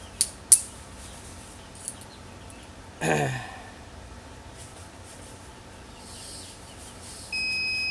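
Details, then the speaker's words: Tormach PCNC440 mill ATC low-pressure warning switch, replacement being tested: quiet room, then a steady high electronic beep as the switch trips at about 55 PSI; the old switch's setpoint had drifted. "there we go so that was about 55 PSI I'm going to crank this up just a teeny tiny bit then we'll raise the pressure see when it turns off that now see that was it turned off at about 70"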